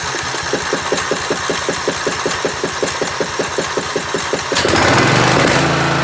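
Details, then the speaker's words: Riding mower after an engine rebuild and safety-system rewire, first start with a paper fuel filter fitted, deck off and brake set: a small single-cylinder engine chugging with even firing beats that picks up slightly, running well once fuel reached the carburetor. "well it does seem to be running pretty good took a minute to get the gas up into the carburetor but it's done"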